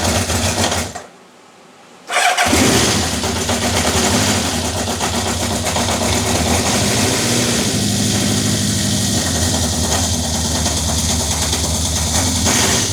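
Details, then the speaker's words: Honda CB750 K4 SOHC (US import), first start after a history of multiple rebuilds and damaged carbs: cranks, catches after a pause, then an uneven, lumpy idle fighting itself. No cam chain rattle or top-end tapping heard; ignition timing likely off and the carbs likely need full work. "Hear it fighting itself. So, hopefully my little little mic will pick that up. The engine itself actually sounded sweet. I couldn't hear any cam chain rattle, anything tapping on the top end. It was just a case of the ignition time is going to be off."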